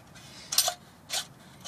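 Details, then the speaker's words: Ford Mustang clutch throw-out bearing spun by hand gives short dry rasping bursts; bearing is toast and appears seized to the input shaft. "yeah that's supposed to spin so throw out bearings toast on this"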